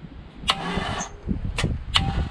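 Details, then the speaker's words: Complete C5 Corvette drivetrain out of the car, cracked bell housing, in strong wind: short, uneven starter cranking bursts as the engine moves and binds at a tight spot; downward force suspected. "and then it kind of hits a tight spot i don't want to do it too much more"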